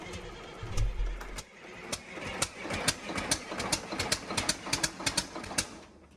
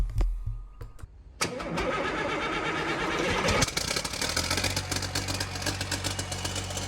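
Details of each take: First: Freshly rebuilt Caterpillar C11 diesel from a front end loader, first start attempt after installation: brief rumble, then irregular ticking and chuffing as it cranks without catching, with black smoke; fuel pressure only about half of spec. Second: Freshly rebuilt Caterpillar C11 diesel, exhaust muffler left off: a few cranks, then it catches on the third attempt and settles into a steady, even idle with 70 psi oil pressure; normal start.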